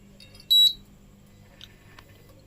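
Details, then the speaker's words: Prestige 2.0 induction cooktop brought in for low heat: short high beeps about two seconds apart over near silence as it heats then cuts off repeatedly; intermittent heating cut-off with beeping. "நம்ம on பண்ணிட்டோம் இப்ப இதுல வந்து பாத்தீங்கன்னா beep sound உங்களுக்கு வரும் அதாவது heat எடுக்கும் கட் ஆஃப் ஆயிரும் ஹீட் எடுக்கும் கட் ஆஃப் ஆயிரும்"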